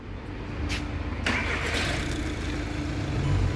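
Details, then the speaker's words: 2012 VW Jetta 1.6 diesel after repair, battery reconnected: quick crank with no scrape or grind, engine fires and runs steadily; starter meshes cleanly, no flywheel problem. "volantta bir sıkıntı yok Allah'a şükürler olsun arkadaşlar ses soluk yok"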